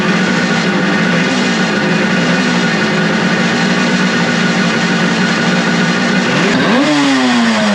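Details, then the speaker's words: Suzuki two-stroke motorcycle after carburetor cleaning, with the vacuum-petcock port covered to stop a vacuum leak, points unadjusted, premix in tank: crisp, even buzz holds steady, then rises cleanly as the throttle opens; running properly. "I didn't expect it to light off that fast and run that good. I mean, I didn't adjust points at all. It sounds like it's right on."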